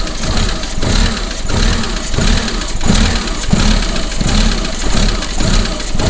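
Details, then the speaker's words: Petrol engine idling roughly with a loose recurring bang about every two-thirds of a second, source not located; sensor errors present, pressure sensor fault returned, cause unknown. "so really can't tell i think it's coming from that is there anything in there that moves hopefully you could hear that banging i mean what the hell do you think that banging is"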